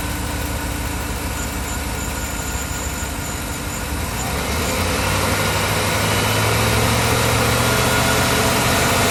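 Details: 2013 Chevrolet Silverado 5.3 V8 idling with a regular stumble and shaking, uneven rumble; cylinder 8 misfire with no code set yet, vibration when driving, owner plans to replace coil pack; engine misfire at idle.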